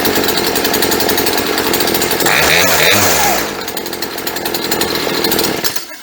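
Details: Long-stored chainsaw (sat 4–5 years; its fuel lines had fallen apart) running with the choke off: a high, steady two-stroke buzz that clears cleanly when blipped. Normal running, though the idle is set slightly low before carburetor tuning.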